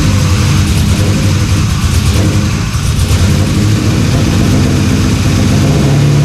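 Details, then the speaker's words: LS-swapped Dodge Dakota V8 after sitting a year, now on internal one-bar MAP: deep, lumpy, stumbling idle; seems to run on only one bank, some headers stay cold; owner suspects injectors not injecting properly. "it runs not well but it runs I don't think those injectors are injecting as as they should but hey that's the best start so far"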